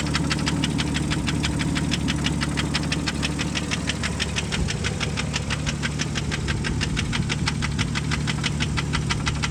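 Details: 1998 Jeep Grand Cherokee Laredo 4.0 inline-6, 233k miles: sharp, even ticking knock about two per second at idle, changing as rpm rises when the throttle body is pressed; internal engine knock.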